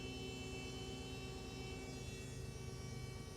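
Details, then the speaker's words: Jaguar AJ30 3.0 V6-powered MGB GT running again after its 30 A fuel-pump fuse melted and was replaced: steady, even pump hum and constant whine over quiet idle, no grinding; pump seems unbroken, fuse cause uninvestigated. "Very strange pump. Doesn't sound like it's broken."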